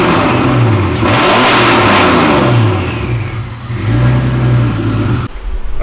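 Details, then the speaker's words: BMW straight six, turbo, just after an M50 intake manifold swap, not fully cold (driven in): it revs up and falls back cleanly a few times, then settles, running evenly with no stumble or misfire. Vacuum is perfect and there are no leaks; not yet tested under load or boost. "Vacuum pressure is perfect. It's actually even a little bit better on startup. It wasn't fully cold though. I drove it in here, so but there's no vacuum leaks."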